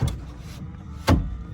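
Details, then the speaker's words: 2008 Toyota Tacoma rear power window rolling down: motor hums under sharp pops and clunks as glass jumps in its track; broken glass guide tab piece fallen inside the door, glass bolt (10 mm) to be removed for repair. "the problem is I was rolling down the rear window it's popping and making all kinds of noise like it's going to break"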